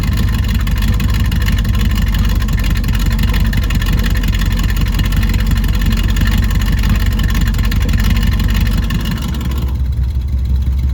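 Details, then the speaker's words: Chevelle V8 that sat for years, just restarted after fresh fuel, new spark plugs, water in the cooling system and a borrowed battery; exhaust cutout open. Loud, deep, uneven lopey V8 rumble, running steadily without stalling. Normal running. "Cutout still works. Sweet. Alright, let's let it run for a little bit. Yeah, running pretty good."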